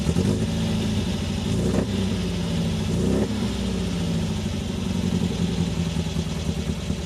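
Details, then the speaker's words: 1974 MGB with a freshly rebuilt engine, fully warmed up at proper temperature with good oil pressure. It idles smooth and even, slightly high (owner plans to lower it), with a couple of clean throttle blips, a steady low note and no knocks: normal running. "but this thing is running smooth as can be now a little bit high i'll probably uh lower the idle just a tad but obviously there's still going to be kinks to work out sounded perfect"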